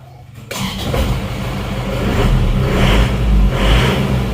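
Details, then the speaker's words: Isuzu Panther pickup diesel after engine overhaul for blow-by smoke (oil-dipstick smoke, one cylinder at 24 compression), restarted already partly warmed, temperature rising; catches after a short crank and settles into an even, steady clatter with no knocks or misses, running normally. "ini tadi mesinnya sudah kita hidupkan jadi tinggal stater saja tadi sudah sempat hidup sudah dipanasi ini temperaturnya sudah naik sedikit"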